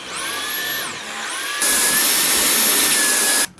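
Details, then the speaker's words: Dyson V8 stick vacuum: high motor whine dips and climbs, then cuts out abruptly, pulsing on and off with poor suction; owner suspects something blocking airflow. "But one of the issues we've had with this is that sound you hear where it's cutting on and off, and it's not really effectively vacuuming."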